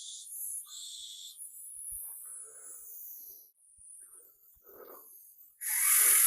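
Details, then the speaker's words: VEVOR 20-gallon air-operated waste oil drain tank pressurized to transfer oil into 5-gallon bucket: bursts of high airy hiss rising and falling; air leak at a fitting on the tank. "Give it another shot of some air. I don't know if you can hear that hissing, but that's coming from around here."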